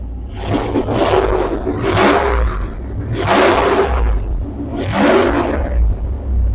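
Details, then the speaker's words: 1999 Dodge Durango running with the muffler removed, recorded on an external mic: deep, loud roaring swells on each throttle blip over a heavy rumble, the open exhaust sound before a new muffler is fitted. "okay Alex this is the Durango without the muffler on it hopefully you can hear it good because I have an external mic on we'll see what she sounds like"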